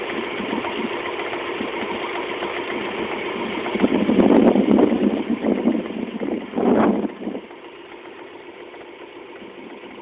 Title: Rover 200 1.4 knocking noise.